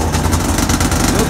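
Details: Arctic Cat 570 two-stroke snowmobile at -40 °C, electric start on a Varta AGM battery with choke fully open: fast, steady starter chug turning the cold engine over without dragging; normal cold cranking.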